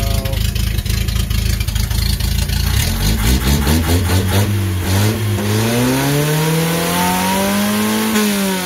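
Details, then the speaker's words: Datsun 521 after engine work, L18 engine with W53 head and Weber 32/36 carb, first start: quick cranking catches into a firm idle, then smooth climbing revs with no misses or knocks; a healthy engine. "there we go she's a runner"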